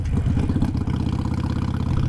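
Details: Modern EFI Harley-Davidson V-twin with idle lowered using a Fuelpak FP3 tuner: a low, steady loping potato-potato beat with no misses or rattles, a normal smooth idle.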